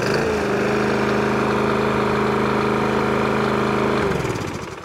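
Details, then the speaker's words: Briggs and Stratton lawnmower engine with a bowl nut jet carburetor, hot and with no choke, after a hunting and surging fix by cleaning the jet with thumb drills: it holds a steady, even note at full throttle with no surging, then winds down. "have we fixed the hunt and search i'll bet chuck maybe there you go fixed idle on a full throttle"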